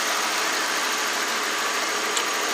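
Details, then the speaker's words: 1992 Lexus LS400 V8 after new coolant temperature sensor, started after sitting dead for months: smooth, even hum with stable idle rpm and no hunting or dips, though lean is reported on both banks. "the nice thing is our rpms nice and stable"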